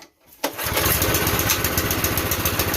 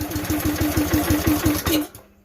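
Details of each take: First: Campbell Hausfeld CE2000 gas air compressor, 5.5 HP single-cylinder engine, fuel on, choke on, belt off: one quick pull, then it catches at once and settles into a steady, even chug with no misses. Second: Campbell Hausfeld CE2000 gas air compressor, 5.5 HP Honda GX160-type engine, throttle cable disconnected, throttle pulled by hand: about five heavy, uneven puffs a second as throttle opens, then it dies within two seconds; fuel-starved, clogged carburetor.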